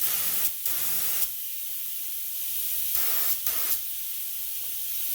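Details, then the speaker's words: Auarita K-400 LVLP gravity-feed spray gun, 1.4mm nozzle, 600cc cup, set by ear to about 30 psi with no gauge or regulator: short bursts of steady, even air hiss with clean starts and stops, no sputter or pulsing. Normal air flow. "So when I'm setting up a new paint gun, I'm generally going by sound, and feels like it's about 30 psi."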